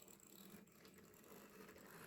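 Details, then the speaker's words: Mantua/Tyco Santa Fe F9 HO scale locomotive being tested: faint uneven ratcheting whir of motor and gears, stuttering as it inches along; drive straining, it runs but stutters. "well headlight works oh it's inching too so it's trying it is trying"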